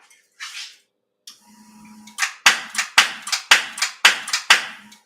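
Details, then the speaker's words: 1969 Dodge Charger, about 30 degrees outside, air cleaner off: starter gives sharp metallic clunks about two a second but does not crank; owner suspects solenoid pops the gear out but starter doesn't spin, plans new starter. "So, I'm no expert, but that sounds like the solenoid is popping out the gear, but it's not spinning."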